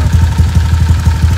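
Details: Honda Vario old 4-valve scooter, stroke-up engine, possibly around 8 months since the stroke-up, still cold, R9 Alpha header with R9 Mubilu silencer: deep, even burble at steady idle with regular exhaust pulses, no knocks or misses. Normal idle.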